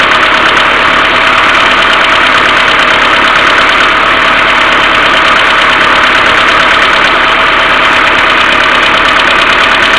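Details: Mercedes A-Class W168 1.6 petrol, cold engine at idle without throttle: fast light tapping of collapsed hydraulic valve lifters, with a continuous hum from the timing chain hydraulic tensioner (needs cleaning or replacement); fixed by replacing hydraulic valve lifters.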